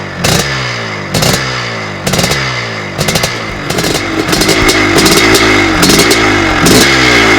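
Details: 1982 Husqvarna 430CR twinshock two-stroke dirt bike, freshly rebuilt from two scrap donor bikes: crisp crackle with sharp throttle blips about every second, revs climbing and dropping cleanly, healthy engine.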